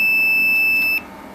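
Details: Daikin packaged chiller with a burnt-out coil that had gone bang: one steady high-pitched voltage tester beep lasting about a second, then silence, flagging that the wiring is still live before the supply is switched off.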